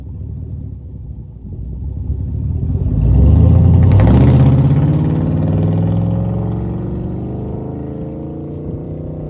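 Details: Farm truck pulling away on a new $80 budget exhaust with a small leak at the clamps: deep rumble swells then settles into a smooth, steady drone without rattles or popping; normal exhaust note.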